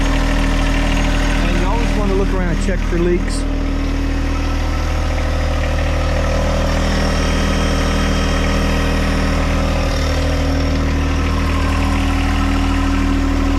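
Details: John Deere 1025R sub-compact utility tractor diesel, just restarted after fuel filter change and fuel system priming during 200-hour/annual maintenance, settles into a steady idle with a low, even drone, no knocks or surging; sounds healthy.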